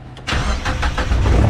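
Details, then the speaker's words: Miata project car on a MegaSquirt MS3 ECU, after the cam input setting was corrected from MS3X cam-in to JS10: a few quick cranking pulses, then it catches and settles into a steady rumble; first start on this computer. "Oh my God, it fired. And that's the first time it's fired on this computer. So that means we have cam input."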